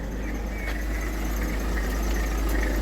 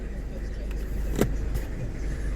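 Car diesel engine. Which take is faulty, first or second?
first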